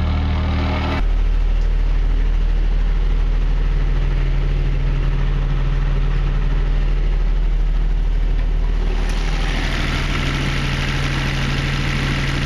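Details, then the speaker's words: Denyo DCA-15SS-N genset with 1.6 L 3-cylinder Nissan diesel (18 PS at 1500 rpm), over 30 years old, first start in years, now warmed up and not smoking: steady deep even thrum, no knocks or misses; idling cleanly, running perfectly. "okay friends that's all I guess it's running perfectly that's a really really real reliable little machine we have this thing since the mid-80s and it never lets us down"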